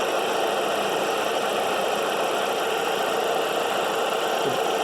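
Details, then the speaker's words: 2008 Dodge Caliber idling after alternator and two idler pulleys were replaced, tensioner also fitted: constant hissy whirr with no knock or rhythm persists, not sounding like the alternator; a belt-driven pulley or bearing is suspected, exact part unclear. "for some reason it came back to me and it's still making a noise to let you listen to it it doesn't sound like an alternator i know what an alternator sounds like"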